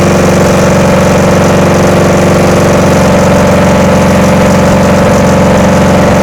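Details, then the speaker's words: VW engine in Sterling kit car, first runs after static timing and adjusting loose valves: loud, uneven idle that chuffs and stumbles, barely running; owner plans to sort the wiring and is unsure the fuel pump works. "well it does run go through and take care of the wiring and see if I can get it to run a little better"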